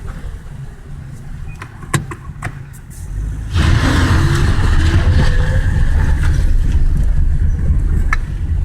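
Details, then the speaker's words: Daewoo Lanos after fixing the front caliper rattle by fitting a seal insert and tightening the screw: pulls away and brakes with only engine and road rumble, no clunks or rattles. "тишина и покой"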